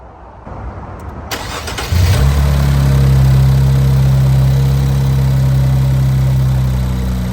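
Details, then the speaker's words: Infiniti Q50 3.0t (VR30) with FBO tune, first start after installing new Alpha intakes and reconnecting sensors: brief crank, catches and settles into a deep, steady idle with even rumble; healthy cold start. "So I'm gonna get the first startup and let you guys hear it."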